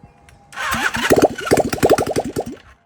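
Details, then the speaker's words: 1978 Honda CB400A Hondamatic twin stored 10+ years, seized engine freed, low compression (105 and 155): starter cranks in uneven bursts for about two seconds but it never fires; no start, cause unconfirmed, carburetors suspected. "If this doesn't work, kind of sounds like it wants to do stuff. If you don't sound like you want to do stuff, what are you even doing?"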